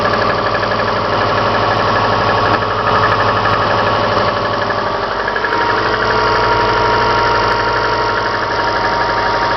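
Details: Subaru Forester cold-start idle, Mobil 3000 5W-40 oil; steady tapping knock about four per second, louder in winter, gone when warm; owner suspects timing belt tensioner, cause unconfirmed: cold-start engine knock.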